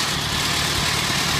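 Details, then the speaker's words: 1948 Farmall Cub first start after total rebuild, governor linkage still needing fixing: steady idle with a busy buzzing rattle of parts vibrating down low on the chassis; vibration rattle. "and that's the sound you hear right there is stuff vibrating down here so"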